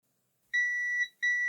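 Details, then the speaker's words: Lloytron AM/FM radio that only ran on mains power, discoloured, possibly arcing switch contacts cleaned with a grinding pen and isopropyl alcohol, then tested: two clean high multimeter continuity beeps, contacts closing properly. "Continuity. Right, so they should be in contact with each other now."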